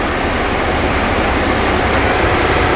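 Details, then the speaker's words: Ford F150 interior, engine off, seat ventilation and opposite seat ventilation switched on: steady, loud rushing roar like a strong wind with no rhythm; seat ventilation fans far too noisy. "8级大风啊，这声音吵死了！"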